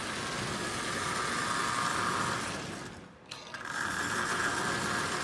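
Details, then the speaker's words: Marx 994 toy train locomotive, likely first run in decades, only oiled, running on the track in reverse. A steady, raspy mid-pitched buzz over the motor, dropping out briefly and returning; the E-unit reversing unit itself is buzzing. "it doesn't like reverse that's the truth it's really buzzing in reverse that's the unit itself making that noise"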